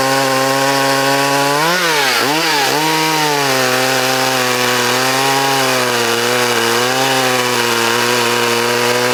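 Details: Vintage Poulan Wild Thing two-stroke chainsaw, completely stock with safety chain, unmodified muffler and air cleaner, freshly sharpened chain and tuned, in a timed log cut: a high scream dips briefly as the chain bites, then holds steady. A healthy saw.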